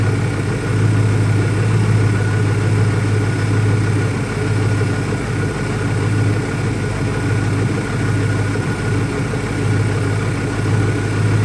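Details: 2001 Ford Mustang Cobra V8 after new Bosch spark plugs: deep idle with uneven, lumpy beat and loudness wavering every second or so; runs rough, owner doubts a vacuum leak, cause not pinned down.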